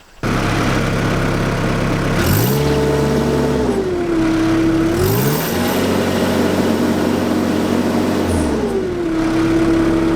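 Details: JCB MIDI CX backhoe diesel after throttle cable replacement, testing foot and hand throttle: picks up cleanly from idle, holds steady high revs, drops back smoothly twice; even throttle response, normal revving.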